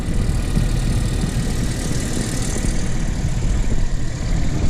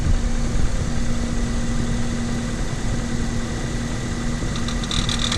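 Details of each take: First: Renault Kaptur 1.6, one year old, 25,000 km, after warm-up: deep, even idle rumble; the loud cold-engine knock from the right side of the engine has gone; normal warm idle. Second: Renault Kaptur 1.6, one year old, 25,000 km, after timing cover resealed under warranty, cold start after overnight parking, noise from right side of engine: steady hum then loud sharp whistle with grinding, gone once warm; cause undetermined, dealer to diagnose.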